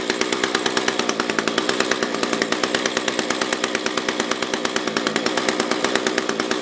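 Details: SRM-210 trimmer with replacement carb, during idle/main screw tuning: high-rev scream with fast uneven pulse and slight hunting; fuel starvation, owner thinks fuel level is below the fuel filter.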